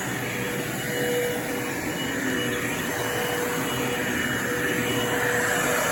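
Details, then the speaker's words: Bissell Lift-Off Revolution Turbo Select 3760-T bagless upright vacuum (made October 2005), running with brush-roll motor on when reclined: steady motor roar, rushing air hiss and faint whistle; indicator half red before hose blocked, owner suspects a clog somewhere. "just so apparently this thing is already clogged somewhere so I'm going to have to deal with that CU I don't know if you can see it but half the indicator was red so was red before I even put my hand on the hose so this thing is probably clocked somewhere"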